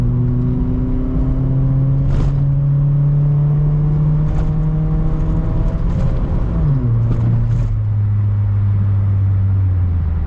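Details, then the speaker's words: 2002 Mitsubishi Lancer at full throttle, third-to-fourth upshift, owner suspects transmission starting to slip: engine drone climbs, then pitch drops abruptly with a rough, lurching, delayed shift instead of a smooth one. "as you could uh hear that was not a very smooth gear shift I mean that usually happens though when I go from like third to Fourth Full Throttle"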